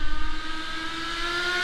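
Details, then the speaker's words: HSP nitro rally RC car after carburetor fix, two-speed gearbox unadjusted: high nitro buzz climbs steadily with no drop or step, staying in first gear; not shifting. "i do not hear it shifting at all it's not"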